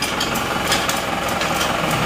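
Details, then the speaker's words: Isuzu Panther diesel after engine overhaul (one liner replaced, new piston rings and gaskets), freshly restarted: steady idle with light clatter, no hunting or heavy knock, smooth; normal idle. "coba di jalan suara mesin kedengaran halus ya seperti ini suaranya agak sedikit"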